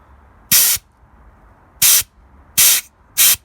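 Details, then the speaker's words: JCB Loadall 120 turbo telehandler that won't start: the pre-filter-to-fuel-pump line, filled with diesel and blown through, gives four short sharp hisses with no resistance; a hole later showed as a fine diesel mist spray. "That doesn't sound very blocked to me. That sounds like there's a hole somewhere."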